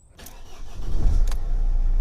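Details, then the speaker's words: Mercedes Vito 2010 2.2 CDI diesel, just after replacing the squeaking idler pulley and auxiliary drive belt: starts quickly and settles into a steady, even idle with no squeak or chirp. "Ah, look at that. That's better. Beautiful. No noise. It's lovely."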